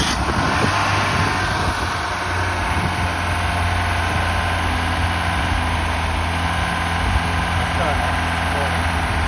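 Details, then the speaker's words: Ford Cortina first started after about 32–33 years laid up: steady four-cylinder idle, slightly lumpy now and then but no tapping or knocking, sounds smooth; some smoke from the rear, oil at the bottom of the dipstick. "Well, that was idling. Yeah. Um and I say the engine does sound quite smooth. Little bit lumpy here and there, but no tapping noises."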